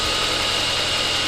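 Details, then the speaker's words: Saab 9-5 Aero started after sitting a few years, with fresh oil change and new battery, on a 37°F day: steady, even idle with smooth hiss, no knocks, misses or rattles, quieting down as it warms; runs well. "i need some new hood struts she sounds pretty good she's quieting down too i'll hold that warm up just a hair that's awesome"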